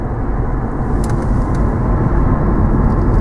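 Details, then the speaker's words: 2008 Chevy Impala, 157,520 miles, after new front hubs and bearings, rotors and ceramic pads: only low, smooth road rumble while driving, no growl or rasp; front wheel bearings now quiet and healthy. "So yeah, nice and quiet, just like it should be."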